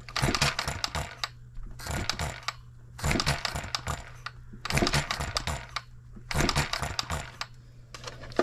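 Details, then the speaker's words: 1988 small single-cylinder engine after crankshaft trued to .0015 runout, valve timing roughly set, run on 11 volts: short clattery sputters in bursts about every 1.5 seconds, never catching; junk in fuel system suspected. "like to hear it try a little bit harder [Applause] foreign junk in our fuel system"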